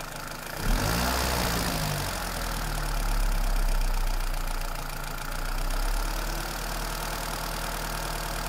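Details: Toyota Celica 2ZZ engine: uneven tapping knock over the idle that carries through a light rev; internal engine knock, cause not pinned.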